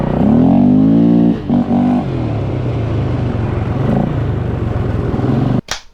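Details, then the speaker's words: Polaris Scrambler 500 barn find revived after 10 years sitting, on a ride: single-cylinder pulls cleanly, revs climbing smoothly with no misses or knocks; running healthy under load. "Okay, we got gas. It starts. It runs great. And it has brakes. Let's take it for a ride."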